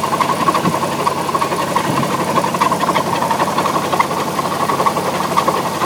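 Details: Alfa Romeo 156 engine running with an uneven, loose knocking rhythm around seventy per minute over the idle; sounds unhealthy, cause not clear.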